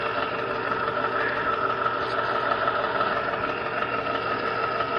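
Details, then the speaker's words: Zenith Z910 console stereo turntable motor, before lubrication: steady whirring drone with high whine over hum, excessive noise; suspected dry worn motor bearings, to be quieted by lubricating motor. "I'm gonna open the top here we'll get this motor running and then I apply some lubricant to it and we'll get it quieted down okay ray probably hear that and that's the motor"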